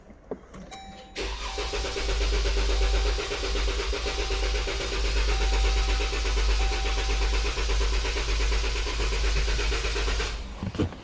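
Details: 2014 Dodge Durango 3.6L with misfire code P0304, clear-flood crank: long steady crank at about two beats a second with a slightly uneven rhythm; cylinder 4 is low on compression from a leaking valve.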